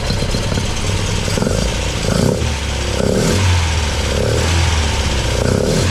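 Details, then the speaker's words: MGB with freshly rebuilt Weber 45DCOE carburettor (new jets, float height set), idling cold before reaching temperature: lumpy beat swelling and fading about once a second; owner suspects one choke doing more work than the other and a slightly rich mixture; unconfirmed. "The engine is still cool, so it isn't up to temperature yet. But anyway, I'll see what you think about it. It sounds like one choke's doing more work than the other."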